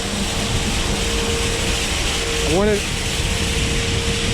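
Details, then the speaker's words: Grain auger running normally as corn from harvest unloads through the dryer into the elevator and up into the bin; steady even churn with a constant mid hum and one brief squeaky chirp. "So we hear it coming through the dryer now. That's what it does when it unloads. It unloads out of here and down into the elevator."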